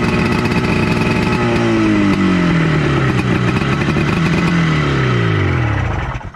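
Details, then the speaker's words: Honda FL250 440cc two-stroke, not yet tuned: loud, uneven crackle with ragged firing as revs sag and wander; runs but needs a good tuning. "yes she definitely runs but man she needs a really good tuning um really good tuning"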